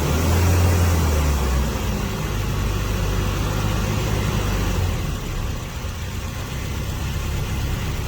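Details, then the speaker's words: Toyota Tarago/Previa/Estima engine, first start after new head gasket and refreshed head, weak battery assisted: slightly rough louder first second, likely low fuel in system, then fairly even idle; running normally. "Okay. Looks like it starts up. It had a little issue, but that's because probably we didn't get enough fuel in the system. But now it's running."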